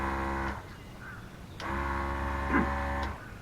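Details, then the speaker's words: 12-volt tank sprayer pump on a riding mower, running after no-power fault traced to a likely bad fuse contact; steady low electric hum in even bursts, stopping cleanly. Normal pump running. "I hear the motor running, so hopefully it was a bad contact on the fuse."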